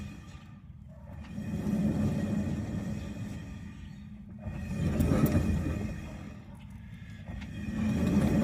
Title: Do I have a bad wheel bearing?